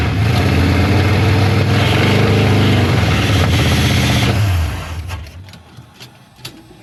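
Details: 1973 Dodge Charger 383 big block running on all eight after choke opened: lumpy uneven idle at about four beats a second, then sags and dies; rough running blamed on a worn-out carburetor needing replacement.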